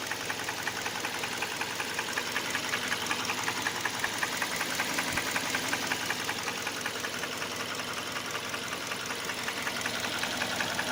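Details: Hyundai Elantra 1.8 at idle: sharp regular metallic tapping, about two per second, knocking from inside the engine both cold and hot and getting louder as rpm rises; cause unclear.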